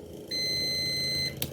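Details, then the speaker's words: Non-working adjustable desk fan, multimeter continuity test on the power cord: single steady high beep about a second long; continuity confirmed, cable intact, motor and speed switch still to be checked. "Evet bir ucumuzu diğeri de Sağlam kablomuz sağlam olduğunu gördüm"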